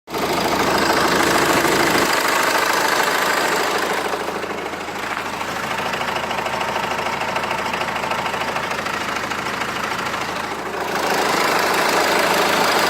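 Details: Renault Laguna 2 phase 2 engine, hot idle, steady even knock about three per second over the engine hum, disappears as revs rise; source inside the engine not pinned down.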